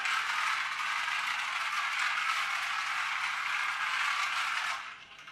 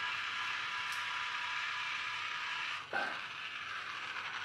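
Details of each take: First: Magic Track toy car after a superglue repair: a buzzy, high-pitched gear whir with a light rattle, fading and returning as it laps the track; the drive runs normally. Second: Battery toy car for a Magic Track set, running on three AAA batteries. High buzzing whir with a ratchety chatter that drops briefly mid-run; sounds like the drive gear slipping, with a broken gear still to be ruled out on teardown.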